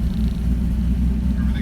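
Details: 1965 Ford 200 inline-six converted from carburetor to FiTech fuel injection, newly rewired, just after start-up: steady, low, even rumble, no knocks or misses, idling smoother than with the carburetor; normal idle.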